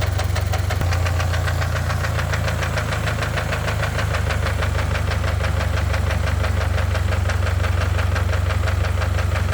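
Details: Engine that starts fine but knocks once it reaches operating temperature: at warm idle a steady, rapid knock, about three strikes a second, over a low rumble; thick oil had been masking it, and Lucas heavy-duty oil stabilizer did not cure it.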